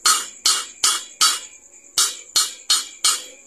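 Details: LPG gas cylinder with a strange, dangerous sound: sharp metallic clunks about twice a second from a loose part knocking inside the cylinder.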